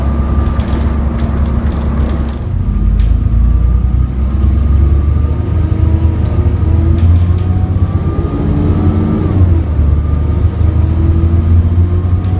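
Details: ADL Enviro 400 bus with ZF Ecomat gearbox, Euro 4, registered 2007: heavy diesel drone with revs climbing slowly and little speed gained; stuck in limp mode.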